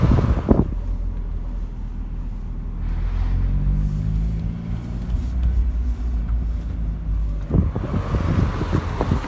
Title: Miata rattling noise